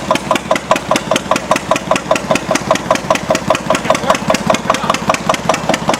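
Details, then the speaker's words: Antique Witte single-cylinder diesel genset, started with propane torch preheat, switched to about 4,000 W (50%) load: firm, regular chugging of about six beats a second. The exhaust note clearly changes under load, and it pulls evenly and healthily. "Really hear the change in the exhaust note."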